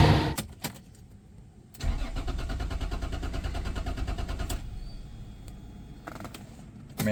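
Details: Mercedes-Benz W124 with 1JZ distributor engine that previously idled shakily: starter cranks steadily for a few seconds but never catches; no spark at plugs, found a loose, corroded wire connection; ECU replaced after.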